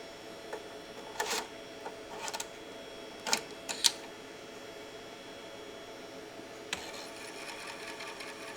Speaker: and once again from close up those in my book really don't don't sound healthy okay so look I would not put either of these discs in my omga drive they've clearly got mold issues or you know whatever on the surface